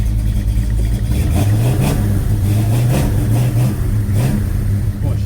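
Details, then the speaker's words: 1956 Chevy Bel Air 307 V8 on its first test drive after fixing a diesel-like valvetrain clatter caused by mismatched valve springs and retainers. It pulls through light revs smooth and crisp with no top-end ticking. "she's crisp. Yeah. See, now it sounds like sewing machine. I'm fine with that."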